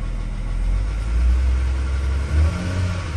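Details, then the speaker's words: Ford BF Falcon XR6 Barra six-cylinder with sludge and two P1381 codes, after rocker cover removal and fixing pinched wires: revs up cleanly with deep steady exhaust note, earlier knocking gone; a noisy pulley remains. "and it's revving smoothly we've got engine light but we can scan for that what the hell that noise has completely gone off"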